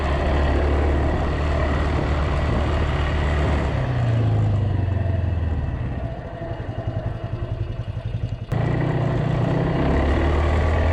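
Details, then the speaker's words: Polaris 300 Sportsman quad after new drive belt, rear bushing and coil: engine idles evenly, dips and picks back up cleanly with a smooth low drone over rain; runs healthy, though still a little slow taking off until given full throttle. "it seems just it's a little bit slow taking off still but if you really give it to it it seems to like really take a hold and want to rip off"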